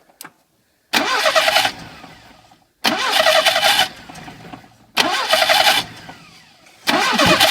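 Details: VAZ 2101-2107 (Lada) engine after the slack timing chain was re-tensioned with a rebuilt tensioner: four crisp throttle blips about two seconds apart, each dropping back cleanly with no chain slap or rattle, so the timing chain sounds healthy.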